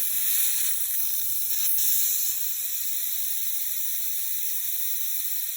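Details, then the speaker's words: Heating system repressurised to about 1 bar after a radiator repair: steady sharp hiss from the radiator bleed valve, loud at first then settling, as trapped air rushes out. "Because we just put a lot more pressure in the system, the air is going to be quite fast coming out of this."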